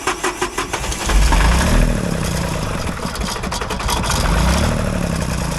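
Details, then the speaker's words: Ford 1520 compact diesel tractor with a long hard-start problem, first start after work, throttle raised: a few cranking chugs, then it runs with an uneven, surging beat; rough running after start, air in the fuel lines suspected. "so we probably got some air in the system air in the lines let's we're going have to crank it over a little bit"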